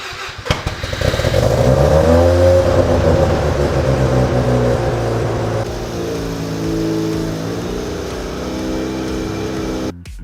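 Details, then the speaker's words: Mazda RX-7 FC3S Turbo II rotary, sat in a barn 14 years, brittle belts, compression around 90 PSI: catches, revs up, then drops to a lumpy, uneven idle with soft pulses; runs decent but low compression, needs a rebuild. "compression is also not the best on this engine it's right around 90 PSI which is not the worst but also not the best good thing though it runs"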